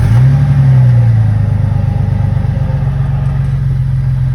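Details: Jeep Wrangler Rubicon 4.0L inline-six, first start after a top-end rebuild (head gasket, cracked manifolds, injectors, crushed Y-pipe replaced): loud, deep catch with a brief rev, then a steady, even idle with no missing or knocking. Running healthy.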